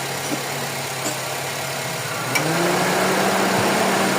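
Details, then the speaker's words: Honda FD with R18 engine after fitting an original serpentine belt tensioner, idling with air conditioning switched on: even, quiet idle whose hum lifts slightly, no belt squeal or chatter. Normal. "Wala nang ingay boss ah. Tahimik na ulit yung makina mo ah."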